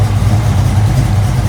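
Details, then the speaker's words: Ford-engined Mustang after overheating fix (cooling fan wiring repaired), idling at about 171°F: low steady, even idle with the whoosh of the electric fans running; temperature dropping, normal. "It actually dropped the temperature. It's sitting idle. Now we got the fans working."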